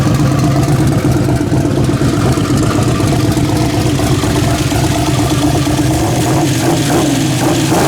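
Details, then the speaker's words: Carbureted V8 at a steady, deep, even idle with no stumble or hiss, after a broken ported-vacuum port causing a vacuum leak was fixed and the carb rejetted (75 primary, 86 secondary), while mixture and idle are set; normal idle. "And I'm gonna fire it up and set the mixture, set the idle, put the hat on it."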